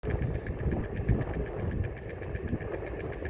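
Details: EOVAN GTS Carbon Pro electric skateboard, few days old, about 50 miles, riding around 11 km/h: fast regular ticking from the front left wheel over motor hum and road rumble, rate rising with speed; source unknown.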